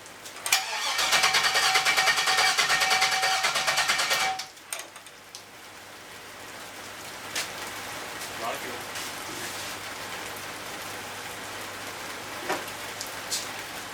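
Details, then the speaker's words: LS turbo Miata kart after turbo oil line work: starter spins briskly and evenly about four seconds, never catches, then quiet; fuel pressure regulator found missing, fuel smell present; crank no start. "Contact. Sounds like no fuel. I smell lots of fuel actually. Oh. There's no fuel pressure regulator."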